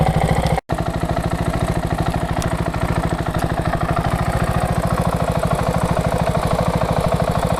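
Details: KTM 690 SM LC4 single at warm idle (ticks only when warm), on Motorex oil (previously Amsoil 10W-40): fast, even light top-end tick on each beat; owner suspects the cam chain tensioner, unconfirmed.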